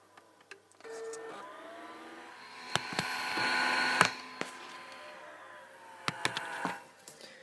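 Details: PS2 slim with faulty disc spindle motor, console plastic very warm: strained whir climbing and fading with sharp clicks and knocks as the disc tries to spin; replacement disc drive on order.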